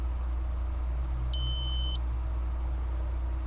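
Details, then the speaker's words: Datsun 280Z ignition switch removed and tested with a continuity beeper on the accessory terminal; the steady beep cuts off when the key turns to start, a normal accessory dropout during cranking, unlike the ignition line presumed to feed the ECU. "since it's the accessory since it's the accessory when you turn the key it stops"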